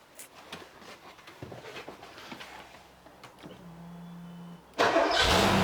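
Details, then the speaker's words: Porsche 928 V8 with a flat battery, started on an AUXITO jump starter after failing to crank without it: fires abruptly and settles into a loud, steady idle, a normal start. "that's pretty cool isn't it and we done got say that is pretty impressive that battery"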